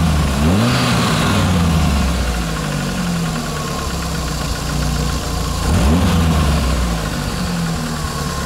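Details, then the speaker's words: After diesel-fuel flush to cure hydraulic lifter tapping: two quick revs settling to even idle, no clear top-end ticking; lifter sound seems gone, owner will drive more to confirm. Normal valve train noise. "бы звук пропал гидрика но опять же надо поездить хорошенько нами слушать"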